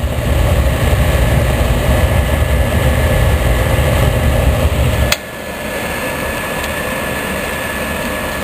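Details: Oil-fired boiler burner after soot cleaning and a new combustion chamber, with the original nozzle: steady roaring burn with a faint even whine; level drops partway through, but the flame sounds smooth and stable.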